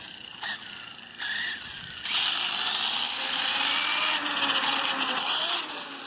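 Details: Kraton V4 electric RC car driving: electric whine with irregular sharp cracking bursts, worse in reverse; drivetrain cracking, cause not yet found.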